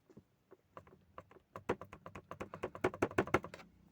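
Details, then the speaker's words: Tata Punch, fourth cabin noise: irregular light plastic clicks and taps, about three a second, as a loose interior panel is moved by hand; trim rattle, owner plans to wedge foam in as a fix. "Fourth noise जो मुझे observe हुई है friends वय यहां प यह देखो यह वाला पार्ट तो ठीक है बट यह वाला यहां पर साउंड करता"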